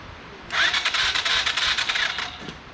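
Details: Whiskey Throttle mini bike small engine that previously would not run, after new wiring harness: about two seconds of quick raspy cranking with no firing; cranks but won't start, owner suspects no compression.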